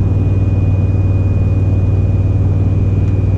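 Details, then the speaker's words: Thin, steady high-pitched whistle over low road rumble, heard loud in the cab of a 2004 Silverado from a newly roof-mounted 50-inch curved LED light bar; starts around 30 mph, changes tone with speed, fades with crosswind. "It's already started. I don't know how well the camera picks it up, but it is really, really loud in the cab. It's that very high-pitched, just wee noise."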